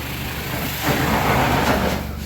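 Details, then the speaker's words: Professional carpet cleaning wand sputtering roughly over steady vacuum roar; chemical line lost prime (looked primed but wasn't) or tank empty, so only air or plain water comes through; fix is to stop and re-prime. "If you ever hear that, that usually means either your chemical tank is empty or it didn't prime and you're not getting chemical through and it's just pulling either air or just water is coming through."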